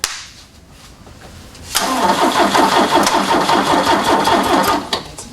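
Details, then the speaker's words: Ford Capri donor car with poorly connecting battery terminals: starter rolls the engine slowly, about 160 beats a minute for three seconds, and it never fires; slow crank, no start. "it rolls over slowly"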